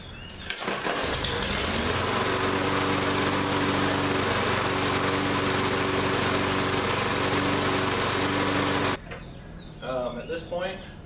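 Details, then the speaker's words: Lawn-Boy lawn mower that ran last season but wouldn't start this season, restarted after service and blade sharpening: engine runs at a steady, even speed with a smooth buzz, no knocks or vibration, then shuts off; healthy, no other problems. "there's no other real problems with the mower we're gonna deem it done"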